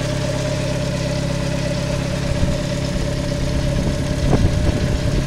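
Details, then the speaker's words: VW Gol (square body) CHT engine after idle fine-tuning of air/fuel mixture and idle screw, starts instantly; steady, even idle with smooth low hum, no hunting, misses or surging; normal idle. "olha essa marcha motor parado cara olha né ó macha lenta zerada galera Ó Impecável né muito bom cara deu na partida o carro já funciona é super econômico né"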